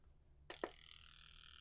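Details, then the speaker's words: Honda VTEC fuel injector on a tester during rough-idle diagnosis: sharp, high-pitched buzzing chatter starting abruptly and holding steady over a second; injector pulsing cleanly. "can hear it going. That's a good it's a good sound."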